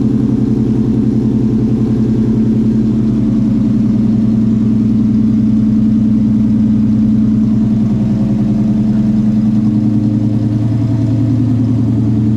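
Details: Coyote-swapped SN95 Mustang with newly welded exhaust, cold start after fitting a new power steering pump: deep, steady V8 rumble with even exhaust pulse, slight rise and settle, no misses or knocks; a healthy cold idle.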